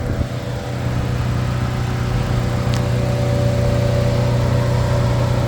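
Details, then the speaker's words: 2009 Chevy Cobalt, Chevy 2.2 engine, 216,000 miles, current oil change, check engine light on; heard under the hood, even low steady hum with smooth rhythm and no knocks or ticks, normal idle. "Can't really see much under the engine, but it sounds like it's doing what it's supposed to be doing."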